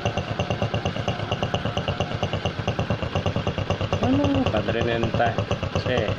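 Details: Honda Supra X125 motorcycle after fixing the cracked head breather hose that fed the membrane: steady, even single-cylinder idle around two beats a second, no misfire, knock or snoring; now running smooth.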